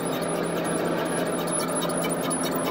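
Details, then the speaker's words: 2000 Ford Explorer driveline: rhythmic high-pitched chirping, about four a second, over low hum; dry failed universal joint with needles walking out, likely rear; universal joint squeak. "so we got this Ford Explorer got a driveline noise squeak dude we got ourselves a universal joint squeak tough to say which one"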